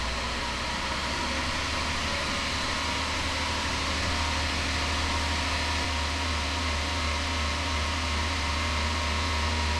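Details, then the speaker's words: Toyota Land Cruiser 80 after new water pump, blue fan clutch and Koso digital temp gauge, held at about 1500 rpm to heat engine: steady smooth hum under fan whoosh, no rattle, squeal or miss; normal. "I'm just gonna hold it at like 1500 RPM and see what the gauge says as compared to the factory gauge."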